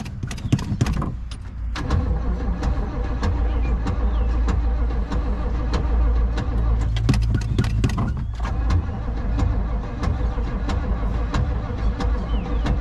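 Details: 1967 Pontiac Grand Prix 400 V8, first crank after sitting for years outside; uneven, clattering crank with irregular knocks; owner wonders if starter is falling off; abnormal cranking noise, cause uncertain.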